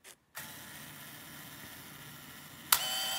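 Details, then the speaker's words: 1983 Mamiya M Time Memory autofocus 35mm film camera on self-timer, which takes about 10 seconds: a faint steady whir for a couple of seconds, then one sharp click as the shutter fires. Normal self-timer release. "그 다음에 여기 셀프타이머 버트 있는데 이렇게 내리고 서천을 찍어주면 애가 움푹 들어가 있고 애가 이제 올라오는 시간이 걸려요 는 대답한 10초 정도 보시면 사진 지킨다고 보시면 되겠죠"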